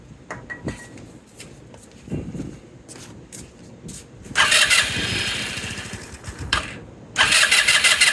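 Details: 2018 Lance Cali Classic 125cc scooter, cranking after more gas was added; short bursts of starter whirring, turns over but never catches. Suspected fuel not reaching the engine; unchanged fuel filter to be checked.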